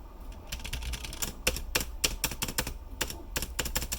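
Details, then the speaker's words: New 3D-printed PETG spacebar without O-rings (the old key had them), recorded with a phone held close: rapid key clacks with heavier, hollow thumps as the spacebar bottoms out. It sounds much louder and more hollow than the old key. "difference just like a much louder hollow sound"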